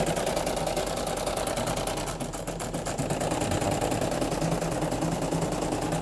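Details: Brother PE800 embroidery machine, customer complaint of loud noise while embroidering: fast, loud clatter about three knocks a second, crankshaft found loose on initial check, worn, dry crank bushings.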